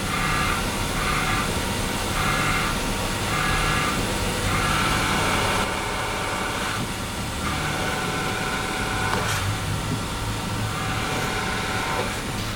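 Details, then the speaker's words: Running car at idle with clutch pedal just touched: faint whirring tone over steady idle appears as pedal is pressed; clutch release bearing noise, fix is replacing full clutch kit (disc, pressure plate, bearing). "Bueno ahorita está prendido y apenas tocaste el embrague escucha se escucha y se apenitas lo tocas"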